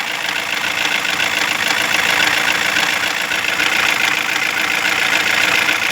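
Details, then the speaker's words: 2016 Toyota Corolla with engine already replaced, idling; fairly steady light tapping about 3.5 per second over a hissy bay, unchanged with the OCV connector unplugged and wiring checked good; engine computer replacement planned, cause unclear. "now the sound become more noise this is s become more noise more sound but you disconnect this uh connector from OCB still the"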